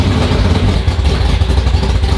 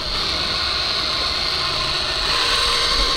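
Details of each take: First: Race car V8 (440 or Hemi) first start of season after sitting over winter, in neutral: deep lumpy uneven idle with clatter, wants to die when given gas; timing uncertain. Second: Race car 440/Hemi V8 that sat over winter, oil pump spun by drill to prime before start, lightweight oil: steady high-pitched drill whine under constant load while priming.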